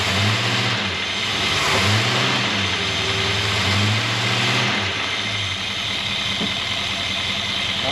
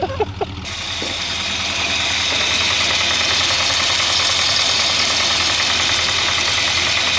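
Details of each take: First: 1963 Jaguar Mk10 with a Mopar 440 V8, off the road since 1972, after fixing a low-end knock suspected from main or thrust bearing play, 80 psi oil pressure: smooth rev blips with no knock; bottom end healthy. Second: 1963 Jaguar Mk10 with Mopar 440, off road since 1972, warm idle at 70 psi oil pressure with thick oil: hard, even tapping about three times a second over loud hissy exhaust; owner suspects rod knock, was quiet earlier.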